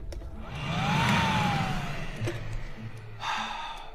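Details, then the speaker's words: VW secondary air pump, removed from the car and powered directly on the bench: motor spins up with a quick rising whine into a steady rushing blow, then winds down; pump works normally, owner suspects relays aren't triggering pumps on startup. "Both of them work. We haven't We haven't heard them when they've started up so it potentially they might the relays might not be flicking them on."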